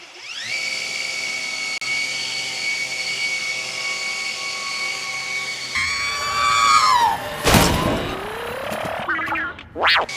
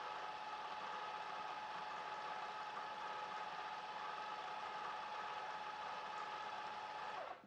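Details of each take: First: Revised Maxflow MPro 25 pressure washer, ramp-up about 1.75 s, ramp-down about 13.4 s: steady motor hum cuts off, then a high squeal slides down in pitch as it coasts to a stop; bad motor squeal on ramp-down. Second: Revised Maxflow MPro 25 pressure washer, drawing about 14.6–14.7 amps and throttling itself back near that limit: smooth, quiet motor hum with a faint steady whine, then winds down near the end; normal running.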